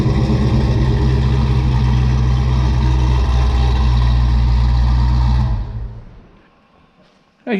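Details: 1978 Pontiac Trans Am V8, cold-blooded, on old mufflers before Pypes replacement: deep steady idle burble with strong low rumble, then shutoff; loud boomy muffler drone, unbearable in cabin with T-tops in and windows up.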